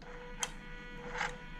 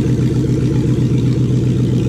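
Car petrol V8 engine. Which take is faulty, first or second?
first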